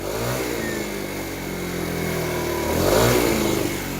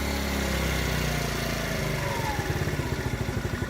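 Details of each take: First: TaoTao 50cc scooter after carburetor work and burning off old deposits with some smoke. It buzzes at idle, then picks up cleanly as the throttle opens with no stumble or bog; now running smoothly. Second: TaoTao 50cc scooter after a carburetor replacement. It runs smoothly, then turns lumpy with uneven pulsing and nearly stalls when off throttle; the bog comes back inconsistently and a little throttle recovers it. Cause unclear; valve clearance is being considered.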